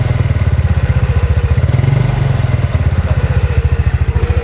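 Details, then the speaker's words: Yamaha Mio Sporty scooter after carburetor needle repair for stumbling at low revs, external mic: engine runs low and even with steady firing pulses, no stutter or misfire; stumble fixed. "sekali tanpa ada apa gejala gejalaan berbet sama sekali nih lihat kita tes lagi"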